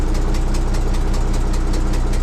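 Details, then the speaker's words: Volvo A30C off-road haul truck, diesel at idle after cranking: a sharp, even puffing tick about five times a second from an exhaust leak, which the seller had already mentioned. "that one's definitely got an exhaust Lo which they said it did you can hear that exhaust leak in this one pretty"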